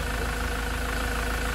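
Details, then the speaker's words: Land Rover Defender Puma 2.4 TDCi diesel, first start after rebuild with new wiring loom and oil pump, idling warm after 45 minutes with thermostat open: smooth even idle, no tappet ticking now that the tappets are full of oil. "You can hear the difference now in the tone of the engine. No ticking noises, because all those tappets are full of oil."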